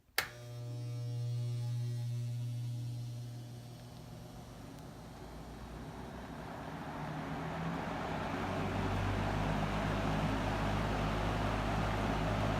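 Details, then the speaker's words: 1970s McGraw Edison 20-inch Penncrest reversible metal box fan, sold by JC Penney, mint condition, started on high from the intake side: low hum, then a smoothly rising rush of air; moves a lot of air, relatively quiet, running normally. "it puts out quite a bit of air but it's relatively quiet with all metal box fans"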